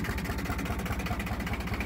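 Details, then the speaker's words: John Deere 1050 diesel tractor, 1600 hours, idling at about 300 rpm after a clogged crankcase vent tube was replaced: slow, even chuffing with matched beats, no knocks or misses, a healthy idle. "let's bust her off real quick man the idle's just beautiful [Applause] i mean just purrs like a damn kitten"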